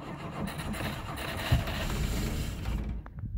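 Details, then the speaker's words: 1960 Rambler American, 196 flathead six, sitting since about 1983: carb cleaner sprayed down the carburettor with the air cleaner off; brief ragged cranking catches into a few uneven pops, then dies. It only sputters on the cleaner, cause not yet confirmed. "hey look at that it's sputtered i think it's actually gonna run"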